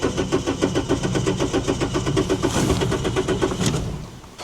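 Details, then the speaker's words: 2007 Toyota Yaris, ex-undercover police car not run in over 4 years: slow, labored cranking at about four beats a second before a ragged catch, slight vibration, no check engine light; possible misfire. "the engine struggled to start a little bit but and there's a slight vibration"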